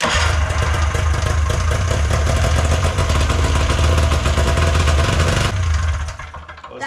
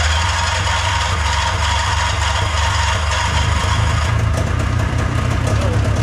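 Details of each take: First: Old two-stroke snowmachine after idle screw reset from about five turns open back to factory 1.5 turns: steady, even burble for several seconds; now starts first pull and idles better, normal idle. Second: Old snowmachine two-stroke with a new battery and a new fuel filter (the old one had caught rust) starts without priming but boggy, its burble wavering and refusing to settle at idle; idle screw needs adjusting for a dirty carburettor.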